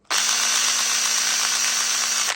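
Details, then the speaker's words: Makita DDA351 cordless angle drill after reassembly with superglue repair: high motor whine with a rough, gritty catching edge; owner hears catching and plans to reopen it; broken gear teeth. "sound like some sounds like some catching I'm might to take it apart again and investigate"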